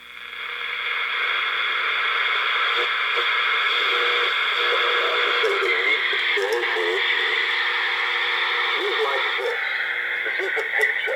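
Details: 1966 General Electric pocket AM radio with a 1920s-era reed-type speaker playing thin, buzzy talk with a papery rattle on voices; reed speaker rattle.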